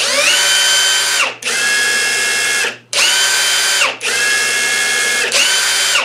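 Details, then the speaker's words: Ryobi P238 brushless impact drivers, well-worn old unit then brand-new one, free-running side by side: short bursts of clean high whine spinning up and winding down; tone differs because the old one has considerable wear. "you can definitely tell the sound change between these two and the reason why is because this does have some pretty good wear on it"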